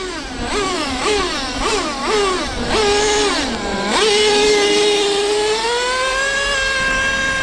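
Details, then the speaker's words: Traxxas T-Maxx with OS 21 nitro engine, restored and upgraded, first track run: engine revs in quick bursts then holds a high steady scream without pulling; slipper nut was 2.5–3 turns loose, so slipper clutch slipping, noisy with no drive, two-speed shift barely noticeable. "that's why during the video when I was accelerating it was making a lot of noise and not going anywhere"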